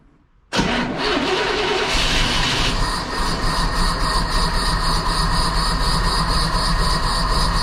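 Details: 1977 Jeep CJ7, 350 small block Chevy with Holley Atomic EFI TBI that began sputtering and lost power; new Bosch O2 sensor fitted, loose exhaust flange bolts tightened, no vacuum leak found, tuned near 14.0 AFR: cranks, catches quickly, settles into loping, uneven rough idle, cause unclear.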